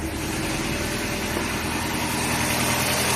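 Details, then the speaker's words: Chevrolet Corsa Classic at idle after battery replacement: smooth, even idle hum with no knocks or squeal. The earlier loud engine noise is gone; the engine runs normally. "barulho que tava fazendo antes já não tá fazendo mais tá vendo ó deixa eu ligar a l aqui ó já não tá fazendo mais"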